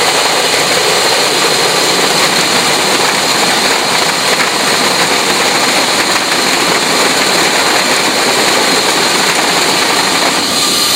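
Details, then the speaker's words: Emerson Fisher flow-lab control valve demo: air aspirated into the line downstream cushions cavitation bubble implosion, giving a loud steady even rushing hiss of water without sharp crackle; cavitation noise and damage reduced by air injection. "So you'll hear that there'll be a lot less damage and a lot less noise that would occur in that case."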